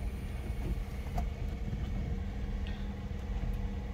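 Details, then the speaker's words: 2008 Ford Mondeo 2.0 Titanium, 145 hp petrol, heard from inside the cabin just after starting: quiet, even idle hum with no ticks, knocks or hunting; runs very nicely, normal idle. "Tök szépen jár, 2 liter benzin, 145 lóerő"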